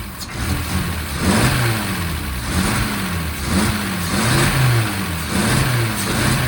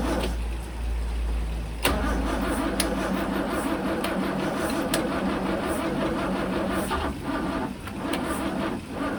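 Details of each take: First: 1963 Mercedes W111 under restoration, started after refitting the mechanical injection pump, ultrasonically cleaned injectors and cleaned distribution block; engine runs steadily, revs rise and fall cleanly in repeated blips, even firing, no misses; normal running. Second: 1963 Mercedes W111 with mechanical fuel injection, cold start connected. The starter churns steadily for a long time but it never catches; fuel reaches the injectors yet they don't spray. Crank-no-start.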